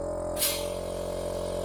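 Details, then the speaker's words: Range Rover P38 electronic air suspension: strong steady pump drone and sharp rush of air from the valve block, with the pump run under test conditions bypassing the ECU and the engine off. Flow is much improved, and the valve block works better than it does under the ECU. "I reckon there's a lot more air coming out of that now."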